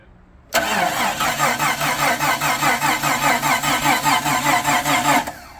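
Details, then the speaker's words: 1999 Jeep Cherokee after engine rebuild and install, first start attempts after timing flipped 180 degrees: steady starter whir with even compression pulses, cranks but never fires; owner plans to check spark, then fuses. "We should check for a spark. So we'll check for spark here, and if that doesn't work, then we'll start checking fuses, I guess. Because it's trying to start. It's just not firing."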